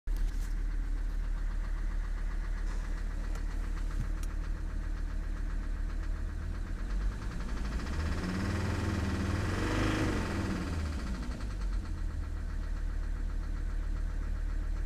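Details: Mercedes 300SD diesel after a bad oil leak and a few hundred miles driven on low oil: idling with a deep, uneven knock about two to three a second, suspected bad bearings.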